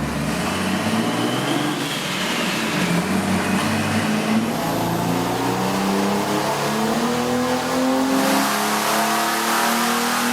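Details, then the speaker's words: 1971 Datsun 240Z with a junkyard-turbo 4.3 V6, about 387 hp and 430 lb-ft at the wheels, on the chassis dyno: strong climbing note under full load with rising turbo whistle, no misses or knocks; normal full-load run. "that's about a 450 power V6 and it sounds and smokes like a Mac Truck it sounds like a power stroke diesel"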